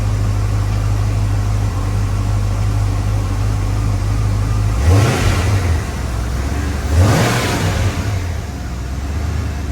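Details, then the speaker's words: 1994 Mustang GT 5.0 after installing an idle air controller with restrictor plate to cure rev hang; two quick throttle blips drop straight back to a steady idle around 850–900 rpm without hanging: normal idle with quick rev return. "You see the rev is going down immediately. We're just going to let it idle here for 2 minutes."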